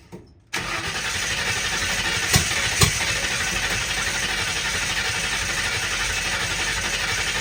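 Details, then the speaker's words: 1960 Ford F100, first start in years, open header, 50 lbs oil pressure, mass air flow sensor cleaner sprayed down the carb in place of ether. Steady cranking with two sharp pops as fireballs shot off the header; owner suspects a stuck float: backfire while cranking. "I don't know if you guys saw it, but these big uh two big fireballs shot off the header. That's why I shut it off."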